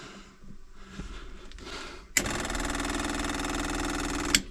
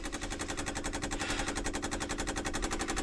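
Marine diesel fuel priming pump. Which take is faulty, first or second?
first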